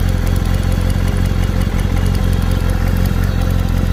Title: bonjour à tous, bruit moteur kawasaki zr7. si vous avez une idée du problème